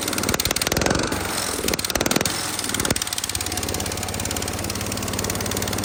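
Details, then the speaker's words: Massey Ferguson 16 garden tractor with single-cylinder engine, just fitted with a replacement aftermarket ignition, throttle set to full: uneven popping and surging, never reaching high revs; full throttle sounds like mid-throttle, owner suspects throttle cable adjustment. "Yeah, I think I gotta play with the throttle cable adjustment because that's mid-throttle. That sounds like idle. And having that full throttle sounded kind of like mid-throttle."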